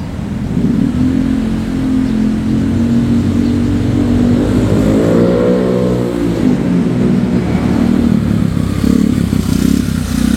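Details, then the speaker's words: Honda Vario 110 carbureted scooter with new R-One standard-racing exhaust, riding on road: smooth single-cylinder drone rising and falling with throttle, deep and quiet, intake audible; quieter than previous exhaust, healthy. "kalau yang gua dengerin sih suaranya lebih adem ya ini ya daripada melap sebelumnya lebih adem terus pas di jalan juga lebih lebih saru ya"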